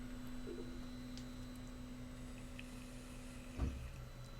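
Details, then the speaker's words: Diode laser engraver framing at 445 speed: steady faint motor hum, then one dull thump as the gantry hits the end rail, too light to trigger the shock alarm. "bien vous avez entendu ça a frappé juste à ce moment-là ça a frappé mais pas assez fort pour euh déclencher l'alarme"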